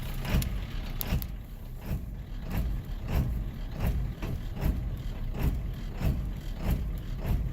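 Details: 7.3 L diesel just after startup, once the dash light goes out: it lopes unevenly at idle with a heavy thump roughly every half to one second; this rough idle sometimes clears by itself or after some throttle.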